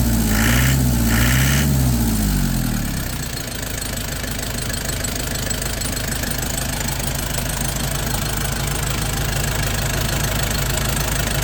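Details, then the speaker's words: Nissan Big M with a BD25 diesel after repair of shaking, misfiring and white smoke, with injection bled of air. It starts within half a crank and settles into a steady, even idle clatter with no misses, running well. "เดินดีเลยไปดูท่อกัน"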